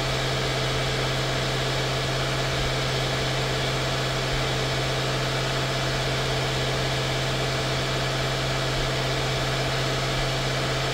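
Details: 2016 Mercedes-Benz S550 W222 after ignition coil and spark plug service: steady, even idle with smooth low hum, no knocks, misses or surging; normal idle.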